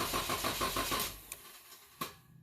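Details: 2012 Dodge Durango 3.6 L, intermittent no-start; starter spins evenly about six turns a second but never catches; fuel pump loses power, TIPM fuel pump relay suspected of not actuating correctly.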